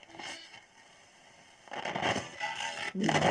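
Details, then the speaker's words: Ural-Auto 2 radio: sweeping the tuning produces irregular scratchy crackles and scraping bursts, with stations dropping in and out; the variable tuning capacitor is squeaky and barely holds capacitance. "Ну ее она было видно, что она скрипучая, но я вот сейчас включил, не думал, что настолько. Еле-еле там емкость держит."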